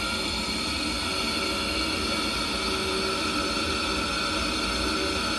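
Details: Ideal condensing combi gas boiler fan, plugged back in after PCB supply checked at 4.9 V DC, PWM signal being tested: smooth steady airy whoosh with faint even hum, no rubbing or wobble; fan running normally.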